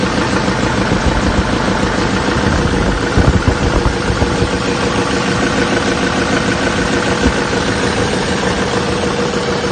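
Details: 2007 Chevy Silverado 3500 with 6.6L LMM Duramax diesel parked at idle; a heavy deep knock pounds through the diesel clatter about twice a second, from a spun crankshaft bearing.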